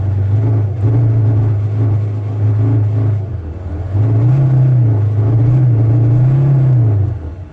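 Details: VW T5 2.5 AXD diesel van: fine when cold, but after a run it cuts out, misfires, shows the ASR light, idles rough and hesitates. Revs surge and stumble under throttle, worst under load. An internally failing crankshaft sensor, worse when warm, was fixed with a new genuine part.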